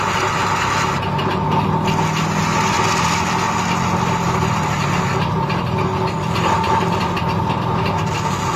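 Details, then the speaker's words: Homemade lathe with a half-horsepower motor, cutting with a hand-held cutter; steady motor hum holding one even pitch as the cut scrapes along, speed not sagging under load, running properly. "Dan ini putarannya tetap stabil enggak enggak naik turun gitu. Karena memang saya pakai dinamonya setengah PK lumayan besar itu."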